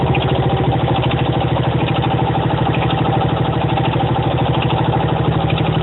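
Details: 1975 Honda XL125K single-cylinder motorcycle idling with a steady, hard knock on each exhaust beat; knock persists after installing a new cam chain, cause unknown.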